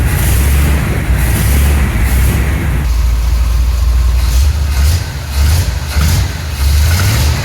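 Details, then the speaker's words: Spare engine that came with a 1975 Chevy C10 being test-run to see whether it works (the truck had engine knocking). Sizzling, clicking and smoke were noted beforehand; here it runs with a deep, steady lope and no knock heard, judged sounding good. "Thing sounds good."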